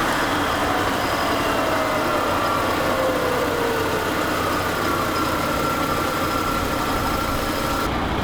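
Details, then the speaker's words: Car jacked up at the front and run up to speed in gear: steady roar with tones climbing as the wheels spin up; noise suspected inside the transmission, not confirmed. Rear drum brake shoes also possibly noisy. "all right so I actually think the noise is in the transmission"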